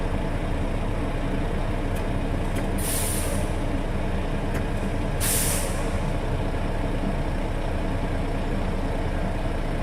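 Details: International truck at steady diesel idle during air brake inspection, air bled to zero beforehand; governor cuts back in within 30 psi of cut-out and compressor chugs refilling tanks with two short air hisses; normal compressor recharge.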